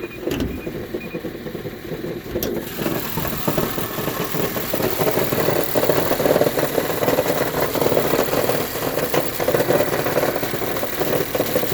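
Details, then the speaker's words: Mazda 3 after start-up: a busy rattling, clattering noise rides steadily over the idle, coming from inside the transmission; the transmission is to be dropped for flywheel and clutch replacement. "That is coming from inside of the transmission."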